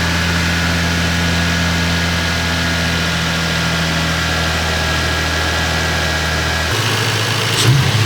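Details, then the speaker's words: Lexus IS300 with 200k+ miles after engine refresh with timing belt, seals and wiring repair; smooth, even idle with a steady low hum, no ticks or knocks, then shuts down cleanly; healthy. "all right boys after three long grueling days of working on maritz's car we got it running perfectly you can hear it sounds nice and smooth"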